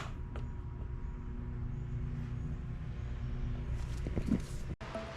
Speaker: vamos a ver cómo solucionar este problema que el ventilador no gira solo zumba